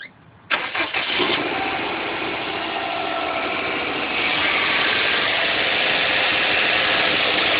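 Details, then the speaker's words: 2006 Saab 9-2X Aero, cold start first thing in the morning, no air conditioning on; short crank, then it fires and settles into a high, steady idle that slowly evens out, with no knocks or rattles, a normal cold start. "Vehicle from a cold start. This is what the vehicle sounds like from a cold start. First thing in the morning."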